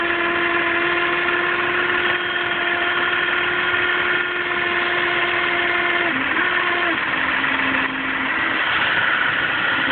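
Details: 2007 Audi A4 3.2 quattro at idle: steady one-pitch hum that steps lower and wavers briefly; strange humming that often occurs when driven aggressively, source not identified.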